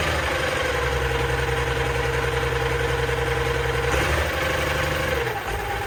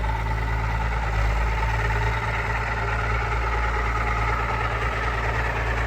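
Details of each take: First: Allis Chalmers 190XT diesel tractor, just revived, front end off and a hydraulic line spraying oil: fires right up into a steady, even low idle, speed dipping once then holding. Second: Allis Chalmers 190XT diesel tractor revived after sitting: steady idle with a thin constant whine above the clatter; owner is pretty sure the whine is the alternator.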